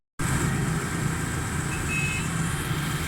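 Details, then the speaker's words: Suzuki Cultus three-cylinder after new pistons and rings fitted for blue smoke and engine noise; even, steady low idle with no knocking or misses; engine runs smoothly and healthy after repair. "अल्लाह गाड़ी start है स् है जबरदस्त है"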